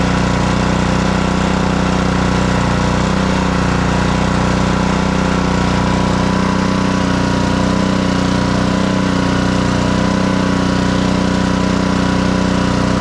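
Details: Blackmax pressure washer with Honda GCV160 engine, after repair of a crank-no-start fault and throttle adjustment: smooth, even beat at steady speed with no misses or surging; fully operational, normal running.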